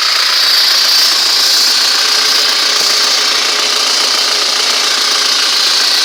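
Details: ZMZ-406 carburetted engine at idle: hissy running with a faint steady dull tapping about three per second; suspicious engine knock, cause not pinned down.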